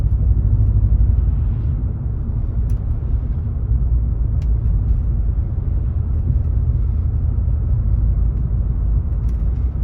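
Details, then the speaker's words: 2019 Chevrolet Silverado V8 with aftermarket exhaust and Range Technology AFM disabler fitted, climbing a hill under load: deep steady booming drone; engine still drops into cylinder deactivation despite the disabler. "I think I still drop the cylinders it sounds like he's drumming it again see let me get over this hill [Music] yeah it's still dropping cylinders"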